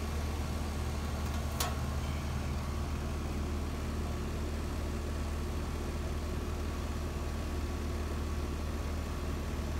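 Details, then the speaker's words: Outdoor HVAC condenser unit whose compressor would not start (suspected thermal lockout) now running after cooling down; steady low hum and constant fan rush, no clicking or straining; amps then checked well under RLA, fan motor 1.1 A. "We're also going to check, if it does come on, we're going to check the amps and all that, make sure it looks okay. It's running."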